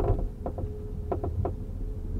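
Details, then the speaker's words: Leapmotor C11 range-extender, fully loaded with 5 people, over slightly uneven road: irregular hollow clunks in short bursts from the rear seat area over quiet cabin; rattle source not found. "只要这个路稍微有丁点儿的不平或者带点颠，你就听见后排跟那儿咯噔咯噔咯噔咯噔，你听啊。"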